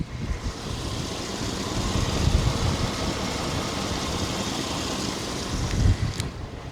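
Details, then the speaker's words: 1997 Chevy 1500, heard a second time for a possible lifter tick: low, even idle rumble with no ticking or knocking over light outdoor noise; the engine idles normally. "It sound good to me, man. I don't even want to touch the motor, bro."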